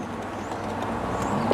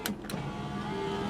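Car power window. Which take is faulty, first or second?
second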